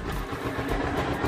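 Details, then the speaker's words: Yamaha SZ/SZR single after fitting a 63.5mm upgrade bore kit, hyper valve springs and a new ignition coil, kickstarted: soft, steady low chug at idle with no ticking or knock; quiet, healthy engine that sounds like stock. "So ito tahimik naman, oh. Walang problema. Ayan, tahimik mo yung makina, oh."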